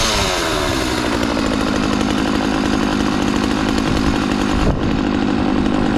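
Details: McCulloch Mac 3200 32cc two-stroke chainsaw, 14-inch bar, after repair: crisp, steady buzz that revs cleanly and holds without stumbling; chain oiling confirmed, runs good.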